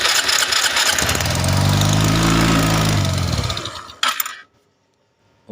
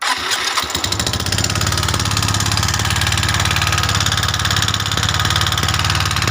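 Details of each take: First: Suzuki Skydrive 125cc scooter after lower-engine oil-flow repair, carb not yet adjusted, auto choke raising idle: quick even buzz at high choke idle, climbs and settles smoothly, no knock or rattle; normal running. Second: Suzuki Skydrive 125cc scooter, coil wired for a test run: catches to a fast idle with harsh, clattery ticking. Oil is not rising to the cam and rockers, so the rockers loosen. Valvetrain ticking from oil starvation.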